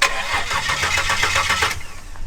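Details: Barra-swapped EF Falcon on first drive, hot day, after stalling in the middle of the road: fast, even cranking for about a second and a half, then dies without catching. Owner suspects the tune. Finding: crank, no start after stall.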